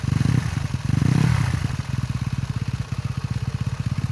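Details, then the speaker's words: Motorcycle after the crankshaft-pulley damper was packed with rubber from an old LPG canister: smooth, even exhaust pulses rise and settle with the throttle, and the earlier click when revved is gone. Normal running after repair. "kalau yang pertama tadi kan digas bunyi tikk Nah sekarang digas udah enggak ya Jadi pakai hanya pakai apa Karet bekas tabung gas bisa juga juga ya"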